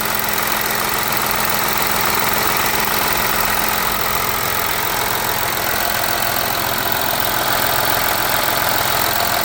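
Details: VW Amarok V6 TDI first start-up after coolant leak repair and replacement of both cam covers, no stored faults: even diesel clatter at a steady quick tick, no misses or knocks; healthy idle.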